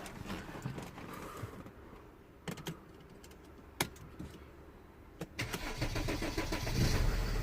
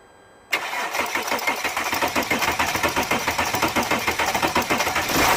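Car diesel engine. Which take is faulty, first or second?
second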